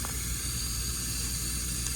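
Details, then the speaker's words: Geothermal open-loop system after replacing a failed Taco valve: water at first trickled, now a steady, even hiss rushing through the line with no sputtering; loop flowing freely. "You could hear it trickling, and now it's flowing good."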